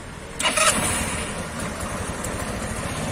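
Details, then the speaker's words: SYM XPro 125 scooter, fixed for stuttering under throttle and a part that could not breathe, battery bolts refitted: brief starter whirr, catches first try and settles to steady even idle when cold; normal cold start. "çok şükür olsun bura şu an çalışması gayet güzel"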